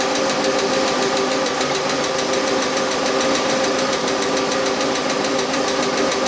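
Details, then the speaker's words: Car that mostly sits, idling as Rislone engine treatment is added: light, sharp tapping about four to five per second over quiet hum; hydraulic lifter/lash adjuster tapping, which went away after treatment. "because the car sits now it has the Bell lifter noise you know tapping sound from a lifter"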